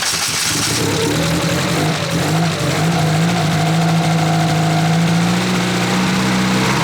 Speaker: see the turbo spools up a little bit okay we can't run it for too long there's no cooling it